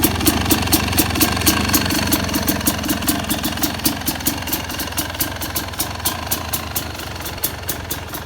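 Two-stroke idling with sharp, fairly even pops about four a second, a lazy note from the retarded ignition timing.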